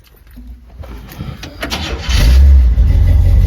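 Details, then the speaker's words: 1951 Chevrolet 3100 truck, 350 V8 with headers and dual Flowmaster-style exhaust, 350 automatic: starter whirrs briefly, catches cleanly and settles into a deep, even burble; sounds good, no funny noises, runs cool. "Take a look under the hood, just basic little 350 motor. Sounds good, no funny noises, runs good, runs cool."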